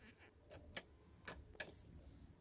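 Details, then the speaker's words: 2007 Dodge Ram 2500HD 6.7 diesel with the old TIPM reinstalled: key turned gives only sharp uneven clicks and no cranking, proving a faulty TIPM starting circuit; the new remanufactured TIPM needs programming, and the ECM is also suspect (no live data, no codes). "nothing right so what i want to do now so we that proves we need to tip them because of that starting circuit in the tip them"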